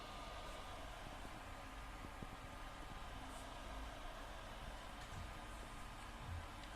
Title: PS4 Loud Fan noise - The Last Of Us